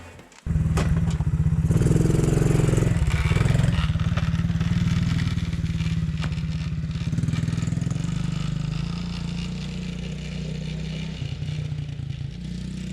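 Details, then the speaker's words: 2017 Tao Tao ATA125D pit wheeler quad, reassembled after repairs: small single revs up crisply, holds a buzzing drone and eases back smoothly, no bogging or misfire in forward or reverse, smooth throttle response; normal running. "You know, it doesn't run bad. Forward, reverse, there's no bogging. I can light off across the lawn there. Throttle response is smooth."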